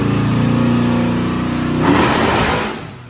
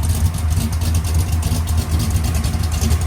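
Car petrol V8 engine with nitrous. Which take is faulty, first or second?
first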